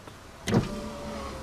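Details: Holden VX Commodore driver's power window after the intermittent switch was dismantled, cleaned and reassembled: a switch click and thunk, then the motor's steady, even whir as the glass travels smoothly; the window now works normally.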